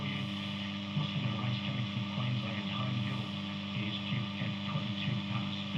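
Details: Healing 400J clock radio after capacitor replacement and a resistor swap, probably still needing alignment: loud constant low drone with buzzy overtones swamping sound; heavy mains hum, cause not found, owner wonders if the clock is involved.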